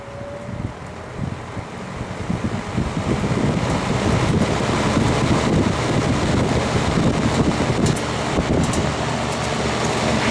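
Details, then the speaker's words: Vintage all-metal Kmart box fan, in rough shape and probably needing oil, running on medium: steady airy whoosh, even and unbroken with no ticking, scraping or rattle; runs fine and still moves plenty of air. "now medium it's still running fine still moves a good bit of Aaron"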